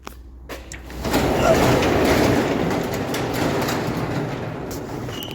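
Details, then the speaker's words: Truck with a broken exhaust, after an oil change, battery and front brakes; loud raspy roar swells as the engine picks up, covering any even exhaust note, suggesting a blown-out, split resonator: exhaust leak. "it's just really really loud because the exhaust broke so I got to take care of that for him"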